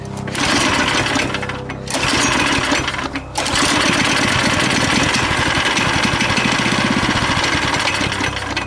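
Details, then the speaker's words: Go-kart engine with the fuel switch on, choke off, throttle slightly open and carb juiced: recoil pulls give quick rattling bursts that die without catching. Spark is confirmed and no fuel getting through is suspected, so the carb needs cleaning. "Nope, I think we still need carb cleaned."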